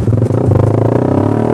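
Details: Suzuki Satria Fi150 injection motorcycle, stock spec but fitted with a racing exhaust, ridden slowly at low, gentle throttle: loud raspy exhaust runs unevenly with brief dips and stumbles (brebet); owner blames the racing exhaust swap.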